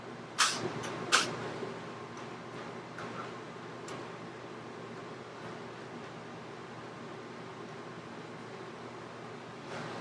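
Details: Coleman RV rooftop AC with ducted system after RVAirflow return filter install: steady even fan and blower hum, no rattle from return filters that previously rattled from suction, only a few stray clicks — normal running.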